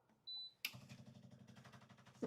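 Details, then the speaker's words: Gaggia Classic GT espresso machine, automatic light pre-infusion (soaking) mode: short high beep, then soft, rapid, even vibratory pump buzzing that differs from the brewing sound; normal pre-infusion. "so now if you can hear that, that's a totally different sound of that pump than as when you're doing the actual brewing."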